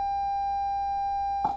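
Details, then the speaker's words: Marshall Lead 12 solid-state amp after repair, pots cleaned and lubricated, into 8 ohm dummy load: clean steady test tone crackles briefly as knob sweeps low to high; still a scratchy pot. "still a little scratching we have to work on these"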